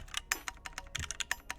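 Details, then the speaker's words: Phoenix45 keyboard, red aluminum case over brass weight, built without foam: each keystroke clacks and leaves a short metallic ring; desk and desk mat may contribute, but the board itself pings, so foam is to be added. Case ping. "Also, I think my desk and my desk mat are contributing to some of the ping. No, this board's just pinging a little bit, but..."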